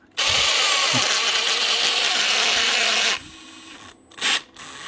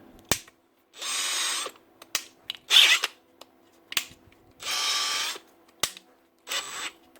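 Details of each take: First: Makita DHP486 brushless drill after a quick trigger press: spins up fast to a steady high whine, no ratcheting or slipping clicks; gears locked in normally, square gear teeth only slip on initial start-up. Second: Makita DHP486 brushless drill after changing gear: short high-pitched bursts with rough grinding on engagement, then normal after a second or two; the square-toothed planetary gear in the gearbox is slipping.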